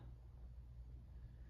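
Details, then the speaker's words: 1986 Hunter Original 52-inch ceiling fan on low speed: starts up quickly, soft steady low hum, very quiet, no ticks, wobble or rubbing; motor runs smooth. "starting off with low this fan does start up pretty quickly has a little bit of a hum to"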